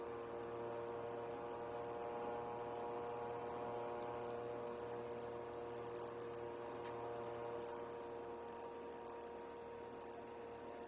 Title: PSU Makes clicking sound [HELP]